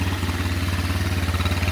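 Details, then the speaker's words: SunL 150cc Chinese quad with a GY6 engine after a tank and fuel line swap and a new battery. A steady, even low thrum with no misses: the idle sounds great, though the owner suspects the carb misbehaves above a certain rev range. "Man, it sounds great. There we go."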